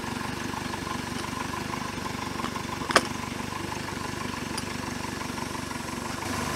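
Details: 1973 Larson boat, Mercruiser 120hp 2.5L, warm with choke fully open, manifold not overheating: quiet, even idle with steady low pulse and one brief clatter mid-clip; otherwise smooth.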